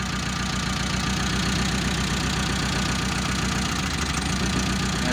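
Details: Mitsubishi Colt T120 SS fuel-injected engine before repair: lumpy, uneven idle with an irregular stumble in the low thump, running on a dead cylinder, later traced to cylinder 4.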